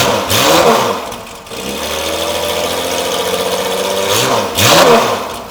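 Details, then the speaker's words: Porsche 993 911 air-cooled flat-six, cold start after new performance exhaust install: loud crisp blips rising and falling cleanly over steady even idle, no knocks or rattles; at least 3 or 4 times louder, normal revving. "Dude, that's gonna sound good under load. Oh yeah, it's like at least 3 or 4 times louder."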